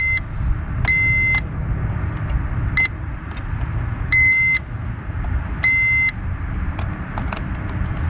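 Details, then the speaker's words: 1999 Land Rover Discovery 2, non-running after years sitting, fuses probed with a multimeter on continuity: short sharp beeps show each probed fuse is good. "I'll just put the leads from my multimeter across the fuses, and we'll hear it beep if the fuse is okay."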